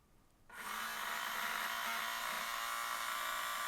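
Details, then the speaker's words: Policar slot car (blue car), compared with identical-motor cars of the same batch: a steady high motor whir with an even tone and no ticks or rattles, running smoothly. "fairly smooth sounding we'll just do a quick lap nice smooth sounding car"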